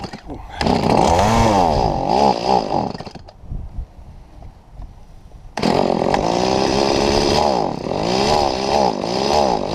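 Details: Stihl MS170 chainsaw cutting a tree trunk about 3 ft across: revs repeatedly sag and recover while cutting, bogging down under load and dropping to a low idle midway.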